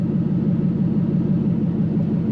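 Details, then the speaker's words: Toyota KZN130 Surf with 1UZ V8 conversion, warm at 79 degrees, idling about 700–750 rpm, no exhaust fitted, 32 psi oil pressure: loud deep steady rumble, even beat, no knocks or misses; normal warm idle. "and we're at 79 degrees bang on it's just it just sounds loud because we've got an exhaust no exhaust"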